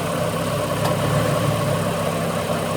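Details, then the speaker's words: Ford BA Falcon I6 after replacing two front ignition coils: smooth, even idle with a steady low drone and no misses; air conditioner on, its load kicking in and out briefly barely changes the note: normal idle. "So, I've changed those front two. That is remarkably smoother. We got the air conditioner on, so it just kicks in a little load and kicks back out again momentarily."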